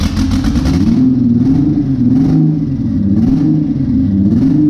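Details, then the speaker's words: Newly built twin-turbo Honda J35 on its first start, throttle worked by hand. The idle is lumpy and uneven with missing beats, misfiring on a couple of cylinders. Owner suspects the injectors; a new coil pack did not cure it. "all right well sounds like it's missing on a couple holes I probably got some injector issues"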